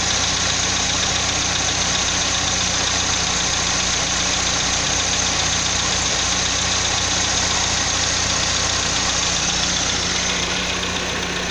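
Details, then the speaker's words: 2005 Chevrolet Astra 2.0 8v on CNG, 169,000 km, 20W50 oil, first start after sitting: light quick ticking over cold idle that fades as it warms; owner suspects lifters, camshaft or sludge, a ticking on cold start. "Então isso só acontece na primeira ligada do motor durante o dia, tá? Quando eu ligo ele pela primeira vez, ele fica com esse barulho."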